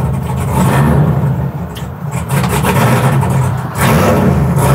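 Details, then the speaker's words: 1967 Chevy C10 that broke down at a drag strip. It idles fine but sags, falters and nearly dies as soon as throttle is applied, after running great earlier: stumbling and stalling under throttle, cause undetermined. "It just died again. It's really unhappy. Well, it ran good for a minute. Well, Yeah. actually about 10 seconds. Yeah, that's the weird thing. You fire it up and it idles just fine until the moment you touch the gas pedal, and then it just says no."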